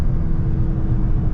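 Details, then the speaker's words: 2023 Dodge Charger Scat Pack Widebody Last Call Hemi, mid-muffler delete, driven aggressively: deep V8 rumble under acceleration with thin steady supercharger-like whine on top, source unclear. "My shit be whining. Like, I don't know if y'all can hear that or not, but my shit really be whining, bro."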